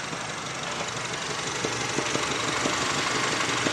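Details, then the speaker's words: Honda Civic at idle with a slight, light, regular knock from deep in the engine, about four times a second; rod knock. A broken motor mount is also being checked. "Okay, we're doing a video because I hear a slight knocking sound in the engine."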